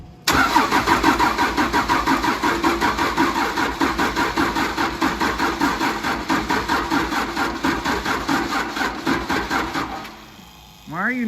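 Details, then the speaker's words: 1953 Mack A40 with a swapped-in 24-valve 5.9 Cummins diesel from a school bus: the starter, on a relocated booster pack, churns steadily for about ten seconds at roughly three compressions a second with no firing. Cranks but won't start; owner suspects the smoking is the starter. "are you not even trying [Laughter] ah she's so close"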